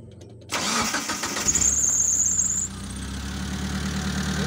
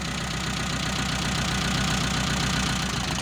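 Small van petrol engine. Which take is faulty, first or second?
second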